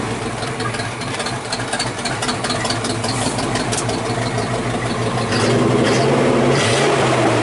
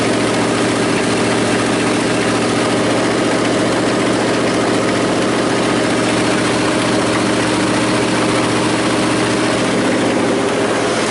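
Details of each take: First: 1979 Chevy square body 3/4 ton 350 V8, restarted after sitting about 23 years, temperature unknown, still warming up: steady even idle, no misses, smooth clean rise when revved; normal idle and revving. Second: 1979 Chevy square body 3/4-ton, 350 V8, Turbo 350, sitting 23 years: fires a little smoky, rough loud idle with heavy uneven banging underneath that seems to be in the engine; source later found, not stated.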